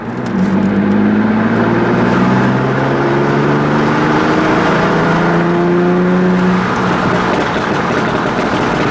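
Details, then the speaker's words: Tuned Audi B5 S4 after refitting a loose throttle body boot that caused a boost leak, check engine light and 5 psi limp mode; strong, clean revs rising and falling smoothly, crisp response, no misfire or hiss — normal revving after repair. "Lewis's car is all good now. After fixing that throttle body boot leak and making sure everything was good. It runs awesome, and its pops and bangs are ridiculous."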